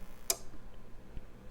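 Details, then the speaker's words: APC Back-UPS 425 (BE425M) powered on from mains after reassembly: a sharp click then faint softer clicks as paired relays switch through the power-on self-test of the battery backup circuit; normal. "the first thing it's doing is just testing to make sure that it's actually able to run the battery backup circuitry when you first power it on so it's like a power on self test basically which is nice"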